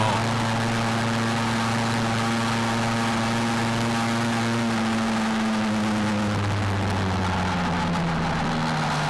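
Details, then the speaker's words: Restored Tomos moped with new kit and Homoet performance exhaust on first ride, running pretty rich per the plug, left rich during break-in: steady two-stroke drone at speed, smooth tone easing slightly under road noise, pulling strongly; normal running. "so she's running rich but I mean I think I want it running rich just while I break in the kit but yeah according to the plug we're running we're running pretty dang rich I don't mind"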